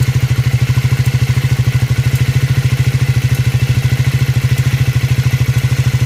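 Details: Triumph Scrambler 400X / Speed 400 single cylinder at idle: steady even beat roughly 200 per minute with hard clattery edge on each pulse; abnormal engine noise, source not identified.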